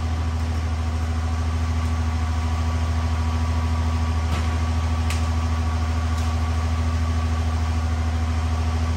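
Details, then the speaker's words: Cummins diesel (1500hp project build) at hot idle shortly after start, about two minutes in, good oil pressure, no coolant yet, before hot retorque; deep, steady low beat, no knocking or misses: normal hot idle. "and there's our hot idol it's about 30 right now"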